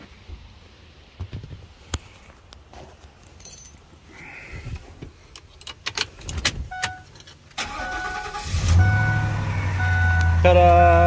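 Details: Ford Econoline with crank-no-start, after replacing the body-to-frame ground strap: scattered clicks and handling, then the engine catches and settles into a steady even idle; normal start.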